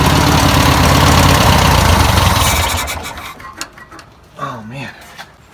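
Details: 1962 VW Type 2 van/bus flat-four, first start after sitting over 40 years, fuel poured in by hand: even, steady low putter about four beats a second, no knocks or misses, then dies away; normal idle.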